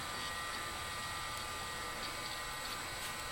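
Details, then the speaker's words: Macintosh Classic power-on after reseating a connection to fix the checkerboard screen, later confirmed a capacitor problem: steady even fan hiss with light whir of hard drive spinning up, no clicking or grinding; healthy power-up. "Powering up, it seems okay."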